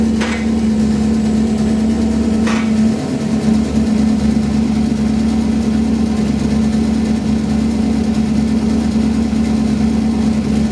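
Petrol engine idling smoothly with a steady low hum and no exhaust ticking.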